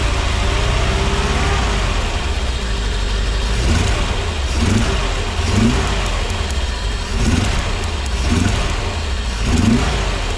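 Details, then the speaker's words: Petrol engine with a bad misfire: uneven, rough, stumbling surges. Plug wires on cylinders 2 and 4 look fine but are bad, with the misfire visible at night. "you can definitely you can hear the misfire here it is pretty pretty bad"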